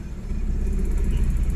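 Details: Suzuki DA64W non-turbo minivan with 3-speed automatic, hard-starting, in reverse and drive; RPM drops to about 700–800, low uneven rumble pulsing at idle, engine shaking heavily; rough idle, cause unconfirmed.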